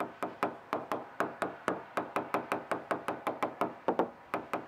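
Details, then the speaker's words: Boat hull tap test during Wren moisture check: crisp even knocks about four per second, solid and consistent; one spot sounds slightly different, something behind it possibly triggered the moisture meter, but no delamination. "Nothing delaminated. There's something behind that, and I'll have to see what it is. That might be what set off the meter."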